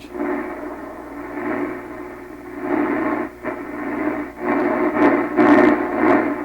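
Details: 1928 RCA Victor Model 28V radio after grounding the 300-ohm cathode resistor connection: clean audio plays steadily without garble or crackle dropouts; normal playback.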